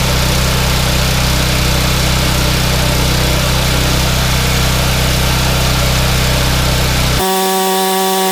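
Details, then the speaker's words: Yardman 31A-285-452 21-inch snowblower, 5 hp Tecumseh engine, sat unused for years, restarted with primer: single-cylinder runs steady with firm low throb, no misses; engine good but auger/tine assembly does not engage. "engine is good but the uh snow blower the tine assembly does not engage"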